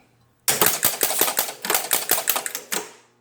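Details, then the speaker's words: Williams Ringer pinball reset triggered from the inside credit switch: a rapid burst of about a dozen sharp, evenly paced mechanical clacks over 2.5 seconds as the score reels and units reset, then quiet, a normal clean reset. "so now i'm gonna do is i'm just gonna hit the credit switch from the inside and then we can see that all of our score reels and all of our units are going to reset"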